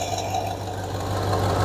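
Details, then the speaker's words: 1966 Ford Galaxie 500 V8 idling with a low steady rumble and a quick, uneven ticking puff from bad exhaust manifold leaks. "We got some bad exhaust leaks up on the manifolds. Sure you can hear that."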